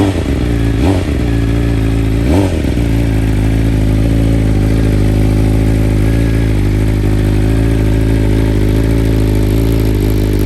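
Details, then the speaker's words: 2021 BMW M1000RR with BT Moto Stage 1 ECU flash, first cold start of the day: smooth even idle with a steady low burble, no hunting or stalling; normal idle. "and you can hear that sounds nice and even sounds like a good idle right there no stalling no issues"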